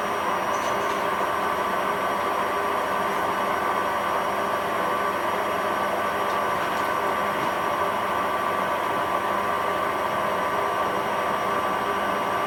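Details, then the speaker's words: Hotpoint WMA40 washing machine on fast spin after a 60 wash and rinse: steady, rough, whirring roar with a gritty edge and a constant tone on top; bearings clearly audible but it copes with the spin. Worn drum bearings. "can definitely hear the bearings but it's handling it okay"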